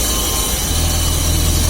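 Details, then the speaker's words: VAZ classic (2101-2107) running on a lift, wheels turning: steady low droning hum from a worn rear axle shaft bearing, easily mistaken for differential hum; bearing to be replaced. "Так что сейчас я на вывешенной машине заведу и покажу, как он стучит. Такой гул вот издается, надеюсь, слышно."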